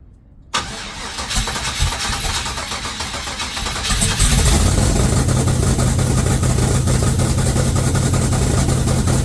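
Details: 1969 Cutlass twin-turbo first start, blow-off valves not fitted, throttle held halfway: the starter cranks and it catches after about 4 s into a loud, lumpy, uneven idle; expected rough because it has no MAF or O2 sensors.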